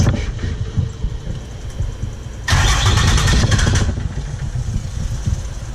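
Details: Diesel engine in a welding rig after replacing the injectors, cylinder head open for checking: it catches cleanly, flares briefly, then settles into a steady, even low idle with no misfire or knock. Now running smooth.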